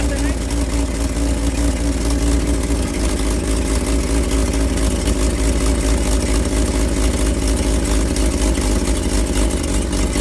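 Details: Old carbureted truck engine, not run in 30 years: runs steadily on choke and rises cleanly when revved, no knocks or ticks. Oil pressure about 42 psi, nearly 50 when revved, slight smoke as the rings seat; sounds healthy.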